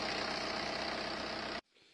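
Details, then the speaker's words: 2012 BMW 3 Series N47 diesel, cold start idle: harsh, busy metallic clatter for a couple of seconds then cut off, a slack timing chain rattling; engine removed for chain replacement. "It was rattling on idle, so let's see."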